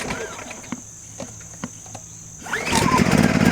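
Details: New Champion 2500 watt inverter generator after break-in and oil change, recorded from about 25 ft, pull start with choke out: quiet clicks, then it catches cleanly and climbs to a steady run; normal start.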